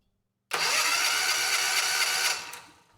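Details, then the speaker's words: Generac XG8000e generator, 407cc GH410 engine (model 0K5107), with damaged crankshaft history, replacement generator end bolted on and engine rotating freely, cranked by electric switch before fueling: starter whirs briskly and evenly for about two seconds; normal cranking. "so with this negative connected we should be able to crank the engine just using the switch"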